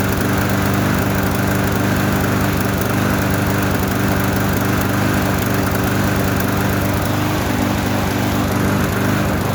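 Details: Trash-found lawnmower running after fresh gas, no air filter or housing, owner attributes slight roughness to that; steady even drone at constant speed, no surging, misses, smoke or knocking; normal running.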